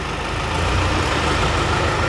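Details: Toyota Hilux 3.0 diesel engine brought in for overhaul, previously badly assembled by another mechanic: steady heavy idle with rough, low clattering drone and no clean rhythm; abnormal internal engine noise.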